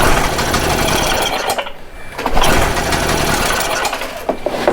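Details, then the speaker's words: Stihl Magnum BR800 two-stroke blower that owner says doesn't run right, cranked with choke off at full throttle: ragged, uneven bursts and dropouts that never settle into a steady run, sputtering on start. Mechanic thinks it may have been flooded. "let's try it with no choke see what happens and full throttle now we're getting somewhere"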